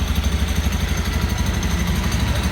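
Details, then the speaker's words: Used 2018 Honda Beat automatic scooter with 16,400 km over 2.5 years, checked at idle for ticking that would indicate CVT trouble: steady, even low pulse with no rattle or tapping. Sounds healthy. "Kalau di motor matic itu yang paling kita utamakan atau yang paling kita harus sensitif terhadap suara mesinnya itu di sini ya, Teman-teman. Apakah ada bunyi menggelitik atau enggak?"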